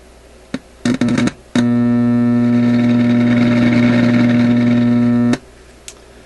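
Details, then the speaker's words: Unidentified European vacuum tube radio, heard through the speaker. A few crackles, then a loud steady low hum from switch-on to switch-off, probably a bad power supply filter capacitor. "So the big whop and hum coming out of there is probably that power supply filter."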